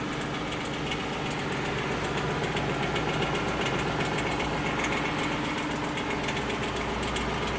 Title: Lexus LS460 clicking noise